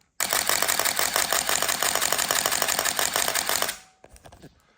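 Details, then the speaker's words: Canon EOS-1N 35mm camera after repair of a shutter magnet issue: crisp, evenly spaced shutter and advance clicks about three a second with no hesitation; shutter firing normally again after not working for ages. "See, it hasn't worked for ages. And it's nice to hear the uh shutter kicking off when it uh focuses in there. Lovely."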